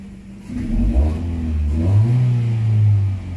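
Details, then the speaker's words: Ford Fiesta with crank-no-start fault, after scanner troubleshooting and fault clearing: engine picks up cleanly from idle, rises and holds a smooth even rev, then settles back, no misses or knocks; running healthy. "Umaanda na po ang ating Ford po ko for the Fiesta."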